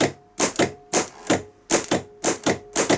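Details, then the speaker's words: Bench test of a rebuilt Bosch starter motor (from a BMW 740 M60, also fits Jaguar X300) with new brushes and new solenoid: crisp, sharp paired clicks about two sets a second, clean pull-in and release; real snappy, good solenoid. "real Snappy that's a good solenoid"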